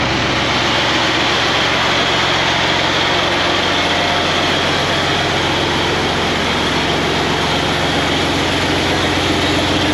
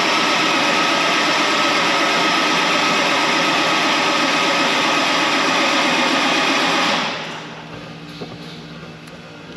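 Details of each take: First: Tractor 8320 diesel with a freshly rebuilt engine, running after adjustments and the fuel primed: heavy clatter at a steady idle, loud and raw without the full exhaust connected but even and settled; running properly. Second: Tractor 8320 diesel with a freshly rebuilt engine, after priming and filling the filters: steady fast cranking for about seven seconds with no firing; the injection pump was out of time, though not by much.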